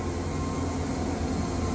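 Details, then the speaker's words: Woodmizer Super 70 sawmill with a new drive pulley cutting dry pallet logs: the motor drone bogs slightly under the cut, with no belt squeal or slip. Drive is healthy. "hear how it revved up it catches up to the rpm that's what you want here"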